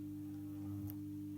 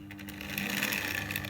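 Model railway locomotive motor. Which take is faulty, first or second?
first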